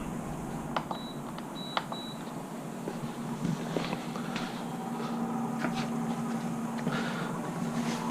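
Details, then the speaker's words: Avanti WCR682SS wine fridge not cooling: only steady condenser fan hum with light clicks, no compressor vibration or thrum though compressor gets power; compressor not starting, failed start relay. "so we got the condenser fan spinning back there make it some noise and we have a no compressor situation so I don't feel the compressor making any vibrations I don't hear it making any noise so the condenser fan is running the unit is on"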